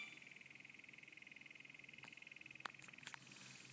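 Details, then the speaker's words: Valentine V1 radar detector powered by an Escort Redline Smartcord instead of its own cord: faint high tone pulsing about 2.5 times a second, an abnormal fluttering; still alerts but mismatched cord causes it. "So this is not normal behavior. This is the Redline Smartcord, and hopefully you can hear that. There's this weird kind of fluttering sound in there."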